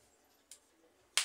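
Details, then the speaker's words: Capacitor touched directly to a wall socket: faint tick, then one sharp crackling snap as it takes a charge, showing the capacitor is good. "quando o capacitor tá bom gente você coloca numa tomada Encosta na energia ele dá um tral ele se carrega de energia"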